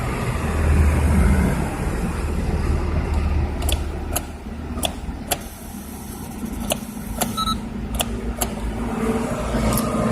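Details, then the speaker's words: Mazda Isamu 323 1.6 stuck at a fuel station: key turned with gauges and lights normal, only scattered sharp relay clicks from the glovebox area, no cranking, dash lights don't dim; no-crank from a failed starter motor. "然后手套箱里面会有个掉掉声，那个是它的继电器。那继电器会掉，但是刚刚跟你们讲的这个灯号，基本上如果启动器是正常，它有送电过去启动马达的话，它的灯号应该会稍微暗一下，但是却没有。"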